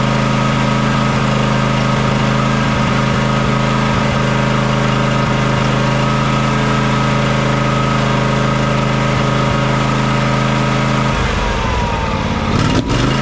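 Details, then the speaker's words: John Deere X300 riding mower V-twin that runs rough, surges and lacks power at full throttle, after cleaning and fixing the choke: loping, uneven idle instead of a smooth hum; fuel looks and smells fine, pointing to a carburetor or fuel fault. "well the choke works but as you can see we're not getting very smooth running out of it whatsoever that's going to tell me that we still have a carburetor or a fuel related issue"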